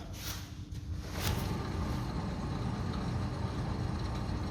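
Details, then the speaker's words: 2004 Renault Megane Sedan 1.6 petrol, rear left wheel lifted and spun unloaded: rough, low grinding rumble from a worn wheel bearing with light brake pad drag; right rear quieter by comparison. "se escucha un ruido Como del rodamiento de las bolitas ahí girando malamente rozando con algo que no debe de rozar"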